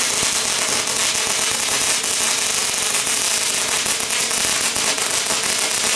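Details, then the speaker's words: Lincoln 210MP MIG welder at 360 in/min wire feed and 22 volts on very thick scrap plate: constant fast crackling "bacon frying" sizzle, no smooth hiss; short-circuit transfer, too cold for thick plate. "I mean I don't hear it as bacon sizzling but that's how a lot of people describe that they sounds like bacon frying that means you're on a short ccate"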